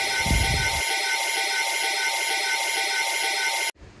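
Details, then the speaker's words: Mercedes with secondary air pump fault DTC P0410, pump actuated by scan tool after clearing codes: steady high whirring hum, even, then cuts off cleanly, secondary air pump working normally. "the next step i will clear the full coat and actuate the air pump to see if it's working you can hear it it's working"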